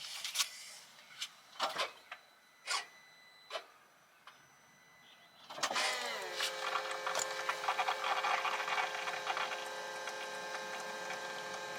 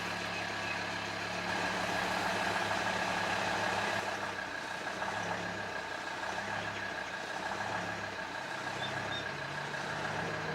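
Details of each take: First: Volvo XC90 D5 after diesel fuel filter replacement, ignition on to prime. A few light clicks, then the electric pump whirs up to a steady high hum until it stops. Normal priming. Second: Volvo XC90 D5 diesel on a cold start: the low idle swells and sags as the revs hunt up and down, which goes away once warm. Owner suspects the diesel fuel filter, but replacing it didn't cure it.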